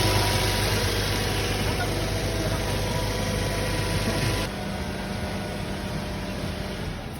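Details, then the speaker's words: Ford Escape that would not start, after fuel pump assembly removed, tapped and refitted: starts on one click and holds low steady idle with no misses, knocks or surging; normal idle. "Ay sige start try ulit yun oh so Ayan one click mga bossing yan one click na boss Okay na yan"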